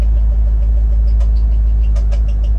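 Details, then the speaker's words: Corvette Z06 barn find, first start after sitting two to three years: steady idle with a light regular tick keeping pace with the engine; owner suspects a stuck lifter or something on the serpentine belt side, possibly the power steering pump; ticking at idle. "let's check the oil pressure on this thing keep hearing that noise man I don't like that [Music] noise"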